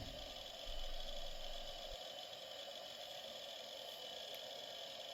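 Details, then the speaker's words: Roughly 30-year-old Quantum IDE hard drive running after a full surface scan found one 16 KB bad sector: a quiet even hiss with a faint steady whine and no clicking or scraping. It spins normally. "but yeah a lovely sound indeed"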